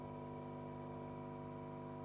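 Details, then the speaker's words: Quasi-complementary 5 W power amplifier with preamp on a breadboard, powered by a Wanptek power supply, no oscillator connected: thin steady 1 kHz whistle over circuit noise and buzzy hum; source unknown, suspected breadboard combined with PSU. "So, I don't know if you can hear it, but there is circuit noise there, but if you listen closely, you may be able to hear a 1 kHz signal there."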